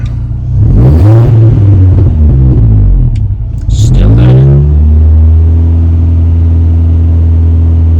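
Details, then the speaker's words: 2005 Mini Cooper S R53 (supercharged), after new timing chain, supercharger service, intake gaskets and catalytic converter removed: engine revs twice and drops back with sharp exhaust pops on lift-off, still backfiring; cause unknown, exhaust blowing slightly. "still doing it so there's now all the intake gaskets and everything have been changed the timing's been changed the cat's been taken out of the system that's uh I thought it's blocked but"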